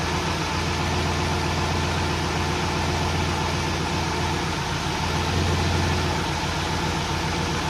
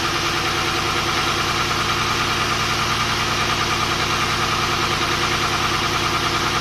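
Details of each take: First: Volvo 240GLE with turbo LS2 V8 swap, first running after 8 years, after adding 15 litres of E10 to fix low fuel pressure from sucking air; steady even V8 rumble with no stumble, surge or misfire; normal running. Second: Volvo 240GLE with an LS2 V8 swap on first start after engine reinstall: uneven, slightly lumpy idle beat under the exhaust roar, as if one cylinder isn't firing. The number 8 coil had been swapped to number 2; pulling that plug made no difference, and the owner suspects that plug.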